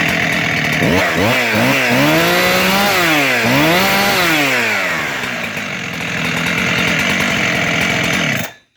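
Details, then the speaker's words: Junk-pile Husqvarna 372-type chainsaw (Farmertec cases, OEM X-Torq 372 crank) started after reassembly with the air filter back on. Ignition spark noted as weak. Revs rise and fall cleanly with the throttle, then settle to an even run. Normal running, fixed for now. "So it's running again, so that seemed to fix the problem for now."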